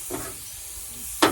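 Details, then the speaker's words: Truck tire punctured by a rusty screw, aired a few pounds above running pressure before plugging: sharp hissing burst of air escaping fast around the screw in the tread. Fast leak. "That way, by the time I plug it, y'all can hear that air coming out fast. It's about to blow the screw back out."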